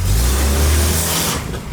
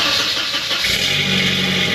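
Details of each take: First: 1989 Volvo 240 DL Wagon before restoration: deep, loud, rough drone under acceleration, almost diesel-like; suspected exhaust leak needing checking, cause not confirmed, car needs front-to-back repair. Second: 1989 Volvo 240 DL Wagon after restoration: engine cranks briefly, catches cleanly and settles into a smooth, steady idle with an even exhaust note; sounds healthy.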